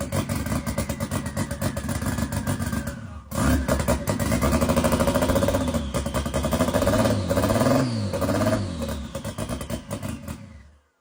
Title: is it on a start tune or is it misfiring?